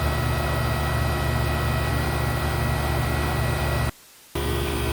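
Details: Previously seized GE A/C condenser fan motor with a missing bushing, oiled as a temporary fix: steady, even fan whir with a low motor hum, constant apart from one brief cut; fan running smoothly.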